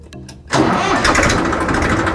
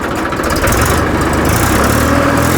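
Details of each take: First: 2013 Massey Ferguson 1035 DI tractor diesel before silencer replacement: cranks and catches, then a harsh, overly loud, raspy exhaust bark from a worn silencer, to be replaced with the new thick-model silencer. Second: 2013 Massey Ferguson 1035 DI tractor diesel after fitting a new-model thick TAFE silencer to replace one that sounded very loud and wrong: steady deep thump about four beats a second, swelling smoothly with throttle, well muffled.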